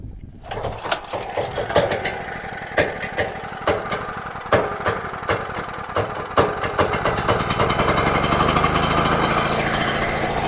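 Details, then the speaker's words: Generator unused for a long time, after the fuel bowl was drained (owner suspects water or sediment) and started on choke: it catches and stumbles with irregular popping, runs rough, then steadies toward a buzz. "right well we got it started it is not running well at all"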